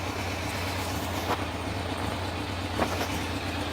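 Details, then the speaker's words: Honda F2 750 four-cylinder motorcycle after standing damp over winter: steady idle broken by a sharp pop every second or two; number 3 cylinder runs cooler and misfires on a faulty spark plug due for replacement. "Matter of fact, you can still hear it popping now. Hear it pop. So it's got a malfunction spark plug."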